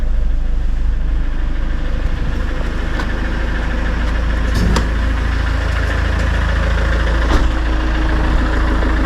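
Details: Citroën C4 Grand Picasso 2.0 BlueHDi 150 diesel after head gasket repair and engine refit, about 5,000 km later with no overheating or overpressure: steady, even idle clatter with a deep low rumble and no misses or hunting. Healthy.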